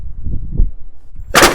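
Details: 2017 Toyota Prius after overheating, coolant disappearing, codes P3190 and P0117; cranked with spark plugs out, a few slow thumps then a loud hissing blast as water shoots from the plug holes; water in cylinders, engine likely blown.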